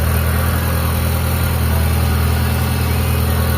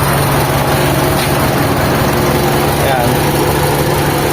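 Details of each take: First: Mitsubishi Lancer EL carb-type, freshly overhauled, idling after the new timing belt that was rubbing on the crankshaft was corrected: steady, even idle with a smooth low hum and no misses or knocks; normal idle, only advancer adjustment left. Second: Carbureted Mitsubishi Lancer EL, recently overhauled, with a newly fitted timing belt and a converted power steering: an uneven, slightly lumpy idle with a wavering low hum and no clean steady beat. The engine's tone is off and the carburetor seems out of tune.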